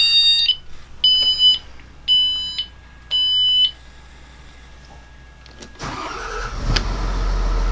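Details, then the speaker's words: John Deere 6068AFM75 266 hp marine diesel, just over 10 years old and near 11,000 hours, cold start: four panel beeps, then it fires promptly and settles into a smooth 800 rpm idle with no knocks: normal start and idle. "it is it's running in a boats exactly 800 rpm right there I don't like it running of extremely low rpms when it's cold"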